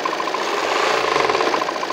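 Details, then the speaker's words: 2018 Volvo XC90 diesel, 137,292 km, engine mounts removed: quick even ticking knock over the engine on throttle blips, located low on the engine, not timing belt but the crankshaft damper pulley wobbling off centre. "일단은 지금 현재 소리는 위치는 아래쪽이 거의 정확한데 타이밍 벨트나 그쪽이 아니라 덴버플이"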